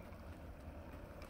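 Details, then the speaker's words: Wood-burning stove the customer thought was blocked, freshly lit with packed paper and the glass door shut. A soft, steady rushing roar with no puffing or pulsing as the fire draws strongly up into the flue pipe. "Listen to that roaring. Can you hear that?"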